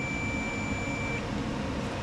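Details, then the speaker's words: Craftsman T1000 riding mower that does nothing when the key is turned, multimeter on continuity across the battery terminal cable end to end: clear steady high beep for about a second; cable conducts end to end. "The wire's untangled. Okay, going from here to here. I can hear it beat and see it zeroed o"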